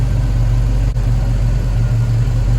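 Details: 1969 Pontiac Firebird with a Pontiac 400 V8 on Holley Sniper fuel injection, warm at least 160 degrees, after adjusting IAC position to 4%: deep, steady, even idle with no misses or surges.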